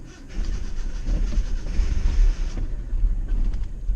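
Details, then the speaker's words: 1991 Nissan Hardbody 2.4 KA24E after new head gasket and timing chain, started by push-button starter: catches after cranking then runs uneven and lumpy, rising and dipping; rough running, owner later suspects a spun rod bearing. "yet it's definitely no beauty queen guys kind of having to play uh yoyo with this thing today keep it running cuz it's kind of an animal right now"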